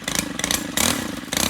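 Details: Stihl gas-powered two-stroke string trimmer restarted warm; a buzzy, high-pitched little two-stroke runs cleanly with quick throttle blips, picking up and settling evenly, and sounds healthy.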